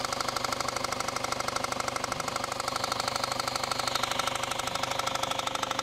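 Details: Noisy idle with a sharp, very even knock about three times a second from the engine bottom, mistaken elsewhere for rod or bearing knock needing engine replacement; the failed harmonic balancer was actually the cause.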